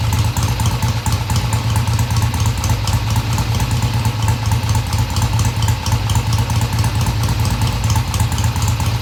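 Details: 1971 Triumph T120 650cc twin after carb tweaks of about an eighth turn: smooth, steady idle with an even low pulse, no stumbling or hesitation; carburetion sounds right.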